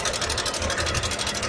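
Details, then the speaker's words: Idling motorcycle engine: fast busy metallic rattle from the top, steady throughout; cam chain tensioner rattle because, with a blocked oil line, oil is not reaching the head. "तो जब भी ऐसी कुछ आवाज़ आए तो आपका ध्यान ज़रूर आपके ऑयल पे जाना चाहिए कि आपने ऑयल कब डाला था और कितना टाइम हो गया आपको ऑयल डाले हुए।"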